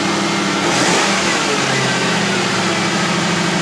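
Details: Crown Vic V8 started on a 9.9-volt battery: deep even burble swells cleanly with a throttle blip and settles smoothly; engine sounds healthy.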